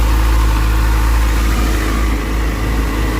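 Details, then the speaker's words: Motorcycle left idling after replacement of a failed cheap Chinese rectifier behind a burnt connector, charging about 14.4 V, checking for voltage spikes. Even, steady single-note idle with firm low thump, no stumbles or rattles; normal, healthy. "so I'm going to let this run for a bit here just [Music] idle sounds healthy"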